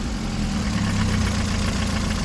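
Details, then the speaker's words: Chinese car with diesel-sounding engine, bought at the bottom of the market suspected of an engine knock: smooth steady idle with an even beat, no audible knock or tick; runs fine, like almost new. "нормально дальней работает Всё огонь новая машина почти"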